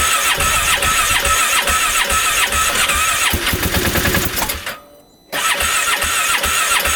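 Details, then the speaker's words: Freshly rebuilt 2015 Polaris Ranger 570 engine after shutting off in snow, very cold out: ragged cranking catches, dips briefly, then settles into an even steady run; normal running, warming to 150° before riding. "on finally fired up here sounds pretty good we'll let this temperature get up to about uh 150° before we ride it"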